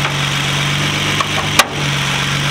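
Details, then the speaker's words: Nissan Altima SE-R after removing a catch can whose hose had come off the bottom port and was sucking air, with the stock hose refitted: steady, low idle with a couple of light clicks. No more high idle or exhaust bucking. "I'm idle back down. No more super high idle. No more bucking and shit in the back on the exhaust."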